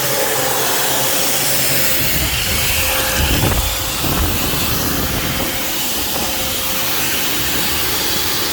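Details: Alfa Romeo Spider idling after the exhaust was removed, cleaned and resealed with RTV: a breathy, hissing puff over the idle as the joint still leaks and needs more RTV.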